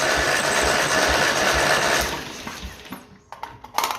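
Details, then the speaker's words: 1955 Ferguson TE20 TED TVO tractor engine, plugs out, cranked for a compression test on cylinder four. Even, regular cranking thumps about two a second. It reads just shy of 100, healthy compression. "just shy of 100. So, that is fantastic."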